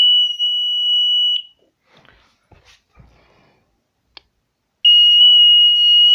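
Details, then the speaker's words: DIY alarm built on a CD4017 IC with a 7805 5 V regulator and a 12 V buzzer driven by an L293D: a loud, steady high-pitched buzz, about three seconds of silence, then the buzz again; the sensor triggers the alarm normally. "Anytime someone passes by the sensor the alarm is triggered"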